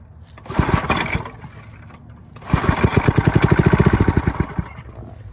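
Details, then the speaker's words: Briggs and Stratton I/C 5 hp with pulsa jet carburetor, after quick carb clean, low and possibly stale fuel: short sputter then two seconds of uneven popping before cutting out; runs briefly then dies, owner suspects out of gas. "I want to say it's just out of gas, but yeah, she ought to run next time."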